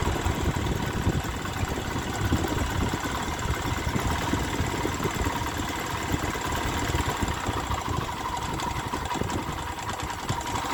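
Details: Honda Sonic 125 that would not start, with new carburettor flooding from dirt: fuel line replaced and fuel filter added, now it starts, cover left off to watch for flooding. Steady, even putter with no stumbling, surging or knocking; normal idle.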